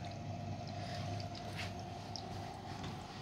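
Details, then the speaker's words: Red Sea Max Nano reef tank stock protein skimmer with its air intake exhaust, recorded with the camera very close: steady gurgling air-and-water rush with a faint whistle. Still very noisy; loud skimmer air intake. "they have made made an exhaust for it which does Continent quite it down but it's still very very noisy as you can hear"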